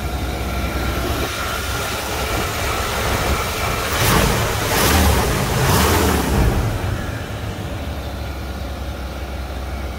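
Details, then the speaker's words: 1995 Chevrolet Suburban (OBD1) after throttle body gasket replacement, not fully warmed: steady even idle, no stumble or surging; before repair idle hunted up and down. "this sounds consistent smooth i think that did it but we'll see all right that's it it's fixed problem solved nice smooth idle"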